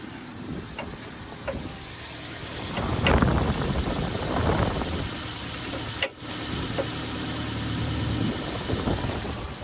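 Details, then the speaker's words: Car, 80,379 miles, idling: irregular heavy bangs and knocks thumping through the steady low hum; diagnosed as a failed drive shaft. "Can you hear that banging? Can you hear that banging? Do you know what that is? Drive shaft."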